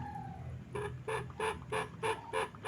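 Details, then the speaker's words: Truntung ST20 side oil pump hose check valve sucked by mouth; short clear reedy squeaks about three a second each pull; hose and valve still good, oil won't backflow under crankcase compression. "Nah, itu pertanda si selang oli ini masih bagus, valve-nya masih bagus."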